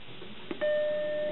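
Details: Macintosh SE booting from a floppy system disk; the hard drive is not recognized: a single clean tone rings for about three quarters of a second right after power-on, the normal startup chime, followed by the Happy Mac.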